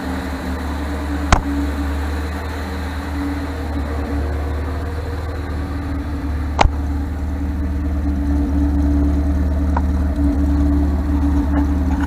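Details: 1978 MGB with rebuilt carburetors, points replaced by electronic ignition: steady, even low idle, no misses or knocks, a few stray clicks; timing set decently, though it still diesels and kicks back at shutoff.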